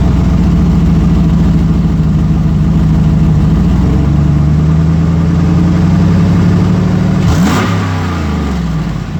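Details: 2008 GMC Sierra 1500 Denali, L92 6.2L V8, resonator delete, axle-dumped exhaust, cold start, idle and revs: deep burble with puffing, ticking edge under revs; exhaust leak just before the secondary catalytic converter.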